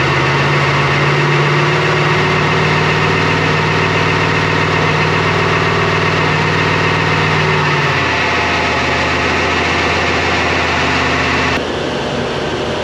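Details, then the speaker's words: LS-swapped GQ Patrol with a 6L80e on the dyno, after replacing all injectors: uneven, lumpy, shaking note that drops pitch, way down on power. Cylinders dropped with injector open-circuit codes, traced to the PCM plug; misfire. "The thing was way down on power, shaking heaps. It dropped a few cylinders and we had more error codes for injector open circuit."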